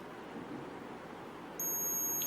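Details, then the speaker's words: Arduino TCP/IP industrial monitoring system with its temperature sensor heated by a soldering iron: above 48 degrees it shows an alert, the AC bulb switches off, and a shrill, steady buzzer sounds; an over-temperature alarm. "So above 48 degrees, it displayed alert. The AC bulb gets off and you can hear the buzzer beeping."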